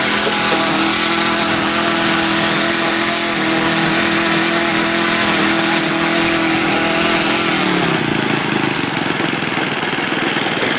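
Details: OS Max FS120 four-stroke model engine, which earlier had no compression from a blocked exhaust valve, running with its propeller. An even, buzzy, high-pitched note eases slightly near the end with no misfire; running cleanly.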